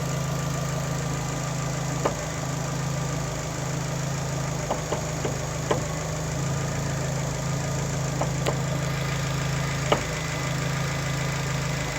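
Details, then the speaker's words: Fiat Panda, engine idling while the steering wheel is turned: sharp, irregular "doink" clunks come through over a smooth idle, traced to a worn front shock (strut) top mount. "I'll turn the wheel here so everyone can hear the noise it's like a doink doink doink noise it's the best way I can describe it and this is a shock top mount"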